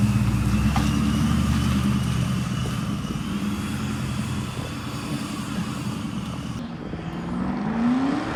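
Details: 1999–2004 Ford Mustang GT with a newly installed Vortech V2 supercharger and 4-inch intercooler, on its first drive, heard from outside. The car pulls away with a throaty drone and a supercharger whine rising with revs. Earlier fluttering was fixed once a part was hooked up. Strong, normal running.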